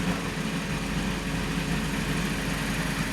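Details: Mini after head gasket and timing chain replacement, idling with P0128 still under investigation: steady even idle with smooth low hum and no stumble or misfire; rough idle later traced to an improperly seated oil cap, codes cleared.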